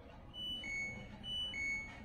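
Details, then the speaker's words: LG Smart Inverter washing machine control module, power indicator on but no display: thin, quiet high beeps repeat about once a second when the power button is pressed; the buzzer sounds weak, attributed to low supply voltage. "tapi untuk bip-nya itu terdengar lirih atau terdengar pelan ya"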